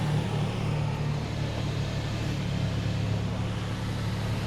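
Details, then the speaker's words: Nissan Xterra just after installing a Z1 Off-Road 75mm throttle body and performing the idle relearn with a scan tool, warming up: low, smooth, even hum, no misses, hunting or ticking; idle rpm slowly dropping as it warms, running normally. "All right. And the truck is warming up and the the idle RPM are slowly lowering down. So that's seems to be all right."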